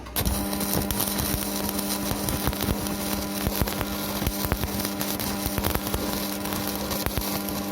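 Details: Strat 160KS welding inverter, 2 mm gap, 2.5 mm electrode: a steady low electrical hum under arc crackle and spatter; it drones loudly but keeps welding, cause unconfirmed.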